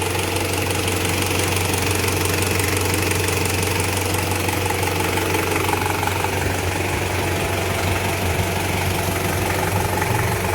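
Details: Toyota Surf 1KZ-TE diesel, warm idle after overhaul for a piston knock caused by one scored cylinder: steady, even idle with smooth low drone, knock gone.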